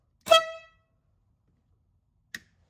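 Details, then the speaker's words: 12V horn bench-tested off the vehicle on a homemade Milwaukee M12 battery power box via momentary switch: one short bright blast with clean steady tone, then a click; horn sounds strong and works properly. "Now, where the momentary switch comes in real handy is if you're trying to test something like a horn, where you know you don't really want it to stay on. If it just blips, that's good enough."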